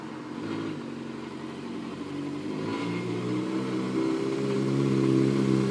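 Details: Suzuki GSX-R600 K3 inline-four revving with a steady knock about four per second over the engine note, rising with revs; cause unclear. Engine knocking.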